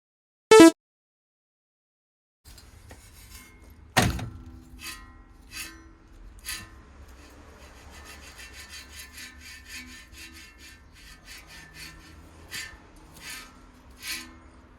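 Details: Subaru Impreza GDB hub turned slowly by hand: intermittent gritty rasping and light clicks, pointing to a rough, worn hub bearing.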